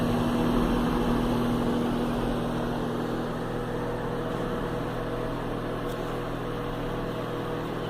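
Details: Philco microwave, model PME31, repaired after a strange noise and no heating caused by the magnetron connector: an even, steady hum with a faint constant tone and no rattle or buzz. It runs normally.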